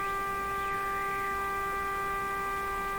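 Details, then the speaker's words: Canadian Westinghouse Model 512 tube radio with signal generator set to 1 MHz: steady clean mid-pitched tone without wavering or hum, test signal received right on the dial with no alignment adjustment made. "it's amazing it's right on it's right on a million I didn't even done anything to it alignment wise"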